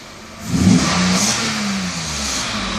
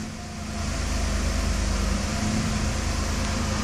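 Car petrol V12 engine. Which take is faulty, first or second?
second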